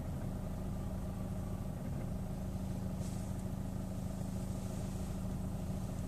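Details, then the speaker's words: Chevrolet Orlando idling with A/C off, clutch released and start-stop engaged; steady low drone with an uneven surge about twice a second, tachometer needle jumping with each jolt: rough hunting idle, cause undetermined. "Regardez bien l'aiguille du compte-tour, elle bouge à chaque à-coup."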